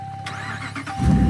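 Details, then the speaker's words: Ram 1500 at about minus 20 degrees after fuel pump replacement, charged battery and a popped ignition coil fuse fixed: short crank over a steady chime, catches within a second and settles into a strong, even idle; normal engine start. "Ah, like a dream. Like it was meant to be. Back in action. We are back, boys and girls. Good to see. That was a nice quick fire up."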